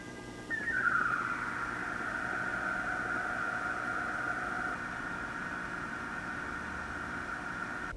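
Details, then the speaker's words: Pecron E2400LFP portable power station: no noticeable inverter noise, but the cooling fans starting at low speed make a faint whistling tone that slides down in pitch, then a soft steady whir. Normal fan startup whine. "As you can hear, there's no noticeable inverter noise, but the fans produce a unique sound when they start up. They spin at such a low speed initially that it creates a whirling noise whenever they begin turning on."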